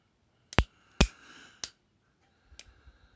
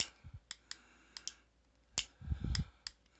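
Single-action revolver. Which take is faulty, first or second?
first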